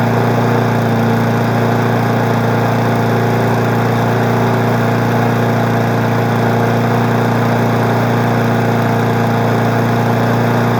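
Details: Weed Eater 20-inch mower being woken up in March, steady even drone at constant speed with no misses, knocks or surging; smoky but running smoothly without shaking.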